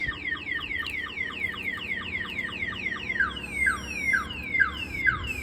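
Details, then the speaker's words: 1992 GMC Sierra 1500 Z71 with a newly installed Viper 5706V alarm: rapid repeating falling chirps, about two a second, high and piercing; built-in shock sensor tripped by vibration or impact, sounding the siren. "this has a built-in shock sensor shock sensor pretty much if any vibration moves the vehicle or a hard impact hits the vehicle the alarm will go off like this here"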